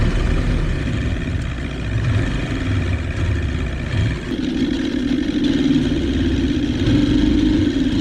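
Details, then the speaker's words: 1977 Johnson 115 two-stroke outboard on the water gives an uneven, stumbling drone that surges and sags, ignition misfire; owner suspects two or three coil packs are bad, having replaced only one, with new CDI and coils planned. "Maybe two or three of those coils are bad cuz in one of the last videos I only replaced one of them."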